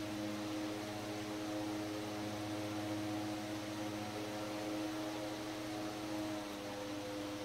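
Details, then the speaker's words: 100-plus-year-old restored Century S-3 Model 15 desk fan on middle speed 3, on wall power: steady even hum, clean mid-pitched tone, soft airflow rush, no ticks or rubbing; normal running. "There's not a lot of difference at this voltage. That's another reason I like using the dim bulb tester on it. The middle speed, number 3."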